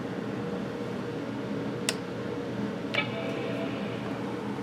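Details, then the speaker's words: Macintosh PowerBook Duo 230 on a very cold night: soft steady hum, two sharp clicks, then a faint whir as the old 2.5-inch SCSI hard drive spins up. A normal power-on and boot. "did you hear it she Roars to life listen to that old 2 and 1/2 in scuzzy Drive ah yes booting right up"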